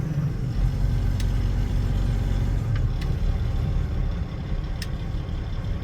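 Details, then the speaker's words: Old, long-unused engine used for milo harvest, throttle dropped to about 600 rpm: deep, even low rumble with no knocks or misses, still pretty smooth; normal low idle. "I just want to see how low I can go. It's still pretty smooth at 600."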